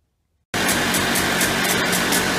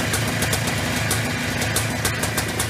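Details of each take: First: Early-1990s Polaris Trail Boss 250 two-stroke ATV, carburetor clean, intake boot believed fine: starts and holds a high, steady buzzing idle that won't settle and winds out when throttle is released; suspected air leak from failed crankcase seals behind flywheel or clutch. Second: Early-1990s Polaris Trail Boss 250 two-stroke after replacing leaking crankcase seals: steady ring-ding idle, revs settling evenly without stalling or hunting; normal idle.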